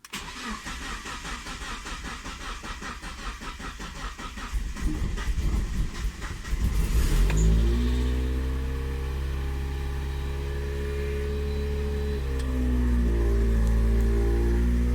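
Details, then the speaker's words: Miata with Megasquirt ECU after Flow Force injector and flex fuel sensor install, cool day in the 50s °F: steady cranking about three beats a second for nearly seven seconds before catching into an even idle; long crank. "all right so it's a little bit cooler today it's in the 50s now it was kind of a long crank but"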